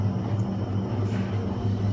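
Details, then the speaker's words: Sealed motorcycle wheel bearing (2000–2015 bikes) spun on a wheel balancer: a low, rough growl with no sharp clicks, meaning the bearing is chewed up inside. A good bearing is near silent. "If you hear that growling noise in there, that's telling us that the bearings are all chewed up on the inside."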